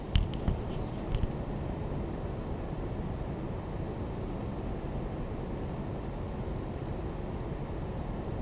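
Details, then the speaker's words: Lian Li PC-Q08 water-cooled HTPC with the side panel on, mic outside the panel, pump at about 50% voltage: only a faint steady low hum and soft airflow hiss with no rattle or whine. Pump and fans are running quietly and normally. "again the pump is running at about 50% voltage so I think it's quiet from me"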